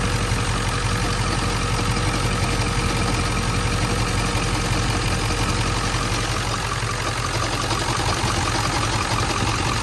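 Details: 1997 Ford F-350 7.3L Powerstroke diesel, 164,000 miles, warm idle recorded close up: loose, uneven chatter of about three knocks a second, intermittent and rod-knock-like. Stethoscope points to the front pulleys.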